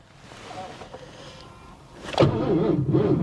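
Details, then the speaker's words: 1983 Mercury Cougar 5.0 carbureted V8, warm at 185°F after running: slow, labouring starter churn that never catches; crank, no start, needs a jump start as battery seems dead. "Nope. She's gonna need a jump start."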